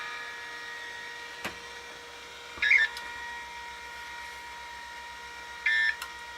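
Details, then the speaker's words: Vintage Macintosh II/IIx computer under restoration; its hard drives give a steady high whine with fast, even ticking and two short chirping squeals a few seconds apart; drives sound unhealthy, cause unknown. "okay goodbye yeah that is not a happy set of drives"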